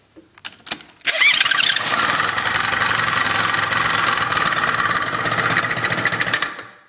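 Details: 1986 Honda Spree two-stroke scooter, first start after about 10 years sitting, choke on, missing electronic choke bi-starter replaced by a makeshift brake-cable choke: a few failed cranking coughs, then it catches into a buzzy, slightly uneven run; hard starting, idles but won't move.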